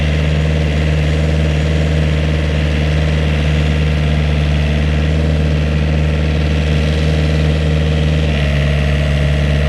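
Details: Vineyard post driver planting posts in new vineyard: engine kept fairly high in revs, steady, under loud rapid pneumatic hammer pounding, even and unbroken; normal post driver operation.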